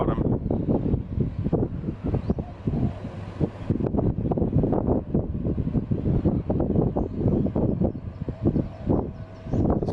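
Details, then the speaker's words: Samsung air conditioner powered back on after its inside was cleaned and mostly blown dry with a compressor, resetting itself: a steady airy fan rush picking up speed, a few drips of water coming out, no rattle or grind; normal running. "turn the AC turn the power back on and it you can hear it making a noise resetting itself"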